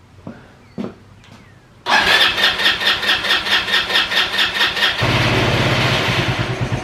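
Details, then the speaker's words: Free roadside ATV bottle-fed gas straight to the carb, tank bypassed: catches, then a lumpy sputtering idle with pulses swelling and fading unevenly; dirty fuel tank suspected. "What's wrong with it? Nothing. Oh, sputtering."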